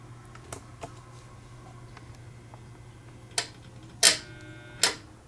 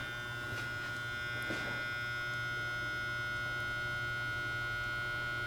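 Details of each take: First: Rare 1950s Fisher-Pierce meter-base photocell switching its lamp; a few sharp dry irregular clicks over a faint low hum from the relay mechanism, normal operation, though the owner notes rust sometimes makes a bad connection. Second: Rare 1950s Fisher-Pierce meter-base photocell just switched back on; steady electrical hum with a thin unchanging high whine on top; cause not pinned down.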